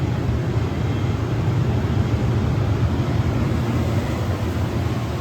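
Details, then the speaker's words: Aldonex T-418-4CRF-CCV 400 A, 0–18 V air-cooled rectifier, 480 V 3-phase input, remote ramp controls, tested in good working condition: steady low hum and even rushing cooling-fan air, no ticks, rattles or surging; quiet, normal running. "Very nice quiet unit."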